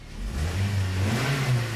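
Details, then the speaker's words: 2009 Toyota Corolla 1.8L with P0302 and the check engine light on, before repair. Low, uneven idle with a stumbling beat. Cylinder 2 is misfiring. "i can feel a miss under the hood this engine is misfiring i don't know if you can tell by the tachometer but this engine is misfiring"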